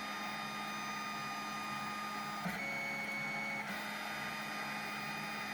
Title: snapmaker grinding noise